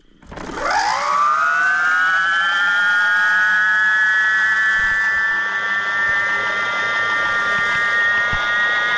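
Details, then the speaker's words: BBS02 e-bike mid-drive motor after 72V overvoltage damage, rotor repaired with JB Weld, tested on stand: spins up into a loud, steady high whine with faint waver; loud motor whine, cause suspected, not confirmed. "but I think that noise like it just sounds really loud now it's working but it seems really loud"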